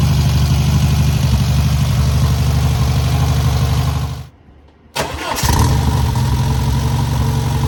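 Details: First start and break-in of newly rebuilt air-cooled VW 1600cc flat-four: deep even idle thrum, short stop, instant restart to same smooth regular beat; normal running.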